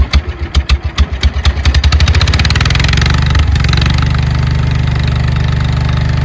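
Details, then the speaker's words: 1968 John Deere 140 H3 hydrostatic tractor, unrun 20+ years, after carburetor check (float working): a few pulls, then catches and settles into steady even low thump with no misses, a little smoky; runs fine. "It actually runs pretty good. A little smoky. Who knows how long it's been since the last time it ran. That sounds pretty good."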